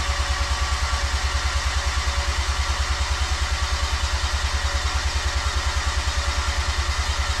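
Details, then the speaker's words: Freshly built 13B bridgeport rotary, injectors and igniter harness unplugged, cranked with no ignition to prime oil: even starter cranking with steady compression pulses about three per second, no firing; good oil pressure afterwards. "all right all right okay so i have no ignition hopefully and i've got the igniter i'm gonna unplug the harness as well all right harness is unplugged and i'm gonna go and get you to crank it for me"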